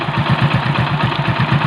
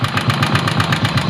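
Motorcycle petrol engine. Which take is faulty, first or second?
second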